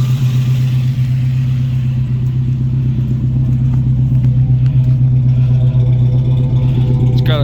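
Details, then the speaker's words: Toyota four-cylinder daily on stock carburetor with full new exhaust. Steady, deep, even idle with no knocks or misses; runs healthy, though owner notes slight hesitancy he suspects is from the stock carburetor. "It's running great. Has a little bit of hesitancy. I think it's from the stock carburetor."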